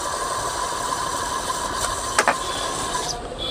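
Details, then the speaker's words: Ceiling fan running very slowly on a direct line: steady scratchy "khis khis" hiss with sharp ticks. The bearing grease has dried out completely. Dry worn fan bearing squeak. "तो ये आवाज कहीं करुच्ची खिस खिस खिस खिस खिस खिस आवाज कहीं करुच्ची, ये साउंड कहीं करुच्ची, तो से विषय में आपण मानक जनइबी।"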